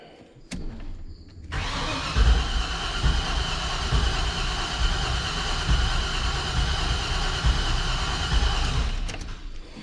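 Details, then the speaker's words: 1985 Chevrolet C30 dually, LS-swapped 6.0 V8, with new spark plugs, fuel and spark confirmed, new-ish fuel pressure regulator: starter spins steadily three to four beats a second, no catch at all; no-start, wiring fuses being checked. "If we're getting fuel though, it would at least try to pop off."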